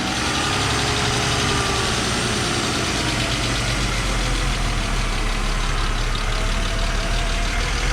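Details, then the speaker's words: Old Mercedes 300SL just started after sitting nine years, still cold: the idle wavers with a slow breathing rise and fall instead of holding steady. Mass airflow sensor or something else suspected, not confirmed. "Yeah, it sounds like it's breathing a little bit, but I don't know if that's like a mass airflow sensor or something else is going on with it. I'm not sure. Come on, keep going. Trying to idle."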